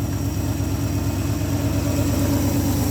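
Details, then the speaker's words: Old Ford F100 V8, ignition module fine, just fired up: steady even low rumble around two beats per second, no misses or knocks; normal idle. "There we go, kind of. Oh, look at that. Runs pretty good."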